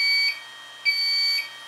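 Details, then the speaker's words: Fujipla ALM series laminator cutter unit: two long high-pitched beeps, cutter error after loosening the cutter wire tension too far so the wire slips on the motor pulley; fixed by tightening back one turn. "getting a cutter error that's why it's we're getting that beeping and we can't go that loose"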